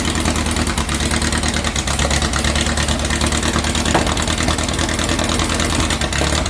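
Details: 2332cc "Dust Buggy" bug after its carbs were cleaned and refitted. It was rough and missing at first, and spilled filter-change oil was smoking. With the mixture screws now set, a busy, clattery air-cooled idle holds steady without dropping or hunting: normal idle.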